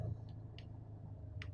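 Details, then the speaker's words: Car engine after a cold start, now at operating temperature, rpm dropped from about 1100 to around 800–900: steady, even low idle with no misses or knocks, earlier rough growl gone; normal warm idle. "এই দেখুন ঠিক আছে ইঞ্জিনের sound কিন্তু smooth হলো আর RPM কিন্তু 800 850 900 এর কাছাকাছি আজকে নেমে গেছে"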